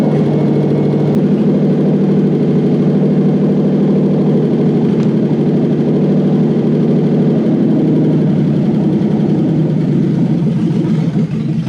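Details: Toyota 1UZ-FE V8, non-VVTi 1995-97, running after immobilizer delete: deep, steady idle with even rhythm, no hunting, stumbling or knocking; runs cleanly, immobilizer delete proven working.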